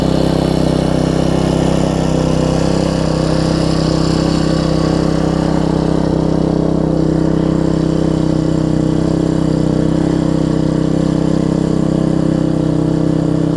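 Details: Troy-Bilt Tuffy rear-tine tiller, 4 hp Briggs single, after fitting replacement carburetor with linkage and spacer, quarter tank of gas: steady, even thrum holding constant speed without stumbles or surging; normal running after repair.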